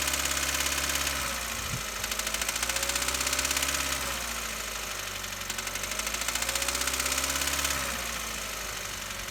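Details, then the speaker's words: Petrol engine revved twice: light, fast tapping quickens and sharpens as rpm rises; being traced with a mechanic's stethoscope, and a small exhaust leak is considered possible but doubted. "It could be, I don't think it is, but it could also be small exhaust leak that could be making that noise, because as we accelerate, and I'm going to show you, it's going to pick up a little bit."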